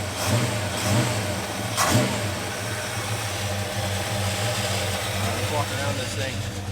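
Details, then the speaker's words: 1973 Plymouth Scamp started for the first time since 2004 with borrowed parts: engine catches, blips up and settles into a smooth, even idle with a steady lumpy cam lope; no knocks or misses. "it's so smooth right it really is oh man it's got a good little lope"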